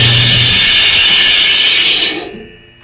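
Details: Samsung DV48J7770GP/A2 dryer, about one year old, at start: harsh, loud high-pitched scraping roar that stops abruptly; worn, dragging belt idler pulley.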